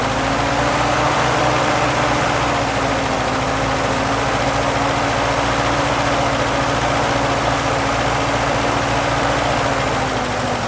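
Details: M38A1 Jeep first started after sitting: steady, even engine drone with constant low hum, no knocking, stumbling or surging, cobwebs burning off, though the carb likely needs cleaning; normal running.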